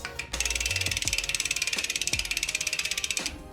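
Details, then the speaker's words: 2010 Specialized Stumpjumper FSR rear wheel spun after fitting Shimano B01S resin pads in MT200 caliper and centring caliper on rotor: fast even freehub clicking, roughly a dozen a second, no scraping or hiss; no brake rub, normal. "All right, letting go. Sounds good. No rub and brake. Boom."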